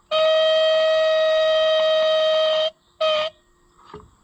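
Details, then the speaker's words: Original horn on a Fiat tractor, just repaired and reinstalled. A thin, reedy single-pitch blast with no body, then a short second toot. The horn is weak; a low tractor battery is suspected, to be checked with another battery. "well what's happening that's not very very loud uhoh I might have broke it surely my battery's not too low is it that sounds like a dying"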